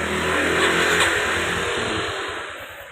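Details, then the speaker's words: Motorcycle after about 5 minutes, one-press start: engine catches first try, blips up, then settles into a smooth even idle with no knocks or rattles; the sound from inside the engine is normal, a healthy start. "Ayan yung tunog na yan. It's normal lang po yan. Huwag po kayong kabahan."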